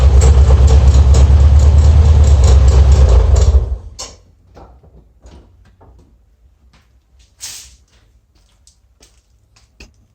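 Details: Air-cooled VW Beetle Type 1 idling with a regular pulse near three per second, then shut off. Noise near the alternator pulley; owner suspects an eccentric pulley; cause uncertain.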